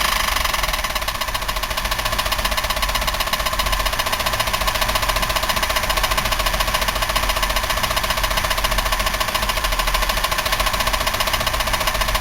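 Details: 1990 Buick LeSabre 3800, unknown mileage, idling with front valve cover off: fast loose knocking three to four hits a second; serious internal knock, owner unsure if bearings, lifter or rod, considers engine trashed.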